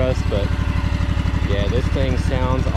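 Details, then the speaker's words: Craftsman DLT3000 lawn tractor with a Honda 16.5 hp engine, test run after clearing water from the fuel: a steady, even single-cylinder putter with no misses or knocks; it runs smoothly. "this thing is super nice guys really really nice tractor everything on it is really clean"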